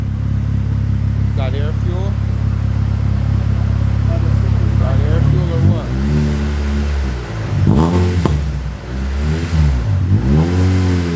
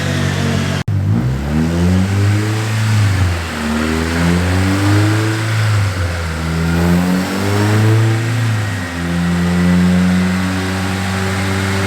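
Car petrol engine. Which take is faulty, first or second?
second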